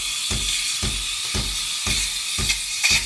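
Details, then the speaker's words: Sage Barista Express steam wand just inside the top of milk, jug angled: steady high hiss with soft paper-tearing chirps about twice a second; normal milk-aerating chirp creating foam. "So you get a nice swirl on your milk and you can hear the chirping. That little chirping noise is just creating the milk foam."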